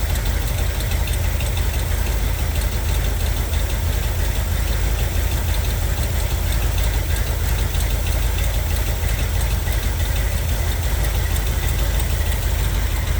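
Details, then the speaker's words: 1978 Corvette V8 idling with cut-window valve covers on both sides: light, loosely regular tick about three per second over the rumble; one cam lobe nearly worn away, another passenger-side lobe worn, camshaft damage confirmed. "yes I would say the diagnosis is pretty clearly definitely one cam is almost all the way down another on the passenger side isn't either more ok accordingly we definitely have camshaft damage here"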